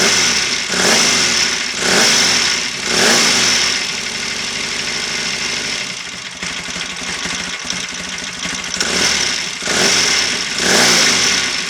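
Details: Royal Enfield 750 Interceptor MK1 back after a long lay-up, an ignition timing problem and a fixed banjo oil leak: twin settles to an even idle between sharp throttle blips, revs rising and falling cleanly with no knocks or misfires.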